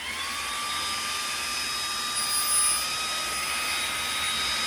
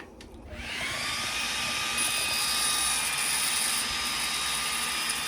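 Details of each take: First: xTool D1 Pro 40 W laser engraver running while engraving on glass; steady high whine with hiss and no change in pitch, very loud, much louder than the 20 W version. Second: xTool D1 Pro 40 W diode laser engraving: steady, outright crackling hiss with a thin high tone over it; normal operation.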